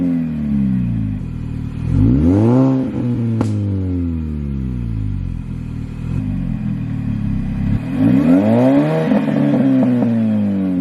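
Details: R53 Mini Cooper S supercharged engine, rev demonstration: clean blips climbing and falling smoothly, supercharger whine rising and dropping with revs, exhaust audible. Normal engine revs with supercharger whine.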